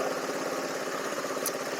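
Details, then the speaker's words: Small buggy engine after readjusting a loose, wrongly set exhaust valve: light even buzzing idle with a steady beat and no tick; full-throttle cutting out remains, owner suspects the carburetor. "I adjusted them wrong but it's no longer ticking so sounds much better"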